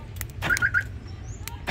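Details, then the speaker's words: 2004 Isuzu Panther LS Black Panther alarm remote: short bright chirps in pairs and triplets separated by clicks, with the central-lock actuator recently replaced; the remote and alarm respond normally. "Jadi untuk remote-nya masih berfungsi."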